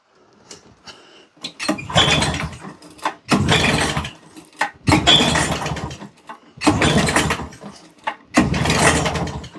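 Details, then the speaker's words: Old auction lawnmower pull-started on the floor: five rough bursts about two seconds apart, each coughing briefly and dying, with smoke; it tries to fire but won't run. The owner suspects a jet is missing from the carb. "We've got smoke. She's trying, guys."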